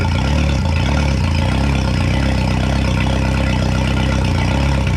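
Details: 2011 Yamaha T50 outboard after replacing fuel line, bulb, thermostats, spark plugs and low-pressure fuel pump (previously rough, dying): steady even low thrum, smooth idle, no misses; not as smooth as hoped but much better.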